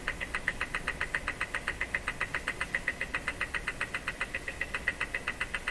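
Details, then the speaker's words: Jewel Model 505 vacuum tube clock-radio: a steady, sharp, high-pitched ticking from the clock motor. The owner doubts it keeps accurate time. "Listen to that clock motor. That can't be keeping accurate time."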